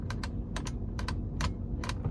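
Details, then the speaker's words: 2006 Ford F150 King Ranch multi-function (turn signal/high beam) stalk: loose double clicks in quick pairs as it moves, no firm detent, excessive play; worn switch, signals work only sometimes. "And if you look, it's really, really loose. It's not supposed to have that much play. If I do this, you can hear it clicks a couple of times."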